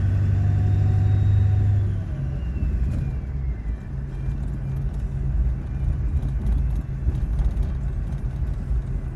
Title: 12-17-2020 powerstroke whining noise